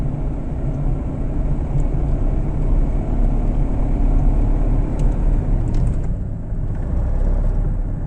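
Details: Fiat Panda III 0.9 TwinAir Natural Power road test after replacing the left (gearbox-side) engine mount for low-rpm vibration and a clunk when lifting off at higher rpm: steady low rumble, no clunks or shudder; problem solved.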